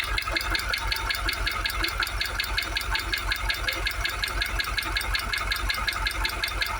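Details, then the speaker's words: Jaguar XKR supercharged V8, warm after about 20 minutes running: a steady sharp knock, nearly three per second, over the idle. Screwdriver stethoscope shows the supercharger rumbling, not knocking; a timing chain issue is suspected but unconfirmed. "Right, so it's been running at it about 20 minutes. Still getting that knock. I don't think it is now the supercharger."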